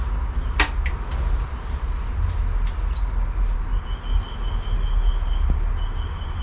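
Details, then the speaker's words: Honda Scoopy (Metropolitan) scooter, key turned on after the carburetor rebuild: a click, then a faint steady high hum as the electric fuel pump primes the fuel system. "Alright, I can hear the fuel pump go. I'll turn it back off again. There's the fuel pump again."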